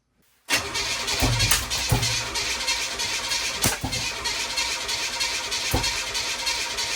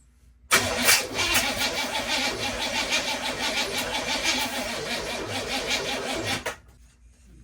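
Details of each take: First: 1981 Oldsmobile Cutlass with a new starter fitted, the engine possibly blown; strong, even cranking at about three turns a second with steady speed and no grinding; much better than the old starter. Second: 1981 Oldsmobile Cutlass cranks sluggishly about three turns a second for six seconds without firing, despite charged battery and cleaned terminals; owner suspects the starter and plans to replace it.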